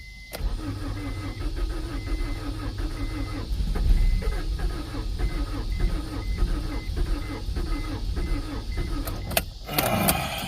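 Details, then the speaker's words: 1992 Acura Integra that sat over five years, with a new distributor and starter, starting fluid sprayed in the intake. The starter churns steadily for about nine seconds at roughly two strokes a second and never fires: cranks, no start. "Fire up. Oh. She wants to run. She wants to run so badly."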